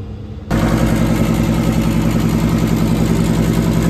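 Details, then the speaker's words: Daikin LP gas package unit after a rollout switch trip, burners cleaned and reassembled, inlet gas pressure 10.8: sudden whoosh as all burners light first time, then steady even roar, no delay or popping; normal ignition. "All the burners lighted first time this time. That was a whole lot better. They certainly let a whole lot faster that time."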